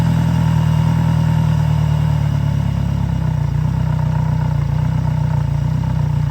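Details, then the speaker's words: Yamaha F90/F100/F115 outboard, first start after a timing belt replacement, run on grass with a mower in the background: steady, low, even idle with no knocking or slapping. Normal idle. "We're done with the timing belt change, so now we're going to start the engine to see if everything works."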